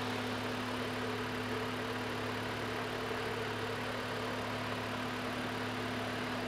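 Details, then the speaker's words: Range Rover at idle with the AC switched on, compressor and fan engaging: steady smooth idle with an even low hum and a constant mid-pitched compressor drone on top. Normal idle with AC compressor engaged. "जैसे ही मैंने चालू किया है compressor जो है वो भी चालू हो रहा है तुरंत इसके साथ में यह आवाज़ डिवेलप हो रही है कंप्रेसर की आवाज़ है"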